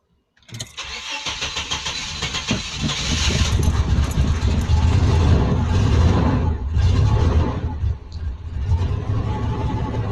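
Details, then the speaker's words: 1989 Chevrolet S10 Blazer, owner suspecting a failed oil pump, cranks rhythmically over several tries with uneven chugs before finally catching and settling into a rough run; hard start. "yeah it's trying to start but I just wanted to run it see it's trying to start"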